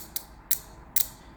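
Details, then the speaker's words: Car relay bench-tested by touching coil terminals to a car battery: crisp clicks as the relay energizes and releases; coil and contacts working normally, healthy relay. "You can simply touch it, and when you touch it, you should be hearing a clicking noise. Listen closely. See? When you touch, there is a click. When you release, there should be a clicking"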